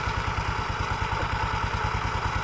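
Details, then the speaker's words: Automatic scooter with the CVT cover open, throttle opened slowly: fast, regular metallic clatter over a light engine note at initial throttle, coming from the rear pulley at the clutch shoes and bell; clutch rattle. "nah disaat tarik gas awal bunyinya persis suaranya di sekitar sini ya teman-teman Ya di bagian puli belakang persis di area kampas gandanya ya"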